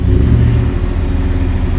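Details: Salvage-title 2019 Ford F-150 5.0L V8 with front-end damage, jump-started, check engine and traction control lights on: a deep, even, steady rumble with no knocks, ticks or misses; it runs healthy.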